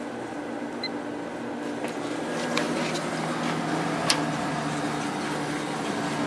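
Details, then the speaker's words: Late-90s Whirlpool Accudry 40-pint dehumidifier with a reciprocating compressor (likely Embraco) and Emerson fan motor, warmed up and on high fan at 6.46 A, 474 W: smooth steady airy whoosh over an even compressor hum, no rattles or knocks; normal running. "Let's go up to high speed. 6.46 amps, 474 watts."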